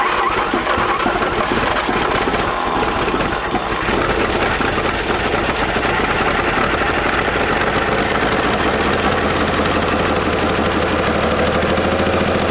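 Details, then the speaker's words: WWII-era Chevrolet truck engine after decades sitting in a barn, running on gas hand-poured into carburetor (needle and seat suspect); loud, coarse, ragged note held about thirteen seconds, sounding better than yesterday as oil circulates; rough running after long storage. "that sounds a lot better than than it did yesterday yeah it's getting some oil through it"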